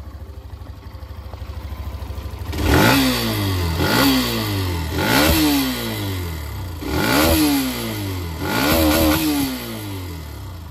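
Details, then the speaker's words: Hero Xtreme 125R single-cylinder, 11 months old, about 8,640 km: idle then five quick revs, with a light metallic clatter each time revs fall back; owner also feels it around 3000–5000 rpm while riding. Cause unknown. "लेकिन जैसे ही रेफ करके खत्म होता है ना जैसे race छोड़ते हैं हम रेफ करके आवाज नीचे आ रही होती है तो ऐसा लगता है अंदर कुछ बज रहा है ऐसा लगता है"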